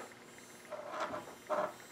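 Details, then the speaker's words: Digital RC servo moving under load, driven at about 303 Hz (a 3.3 ms signal period): two brief, high, buzzy whirs; normal digital-servo buzz from the frequent motor signals. "when you hear digital servos make that buzzing noise it's just because of how many you know how many times that motor is being sent signals"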